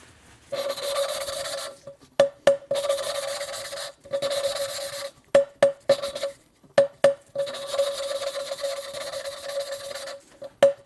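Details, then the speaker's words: Small-block Chevy cylinder head, hand-lapping a valve with grinding compound: repeated short gritty scraping bursts at a steady pitch as the valve twists on its seat; the sound changes as the seat becomes polished. "You could begin to hear the sound difference."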